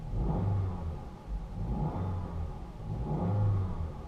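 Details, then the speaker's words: Low-mileage 2010 Jeep Patriot, 5-speed manual, collapsed clutch release bearing rattles with clutch up; here clutch held down, engine blipped three times, smooth and clean with no rattle, sounds fine. Needs a clutch kit. "sounds fine. Like clutch up. Yeah. So basically it needs a clutch kit, which is a common issue on these."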